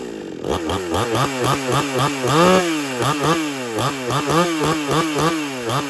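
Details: XtremepowerUS 6200 62cc two-stroke chainsaw with 20-inch bar and chain, phone set down nearby, needs no primer bulb for cold starts: quick repeated rev blips with crisp, even firing and a clean return each time; normal, strong running.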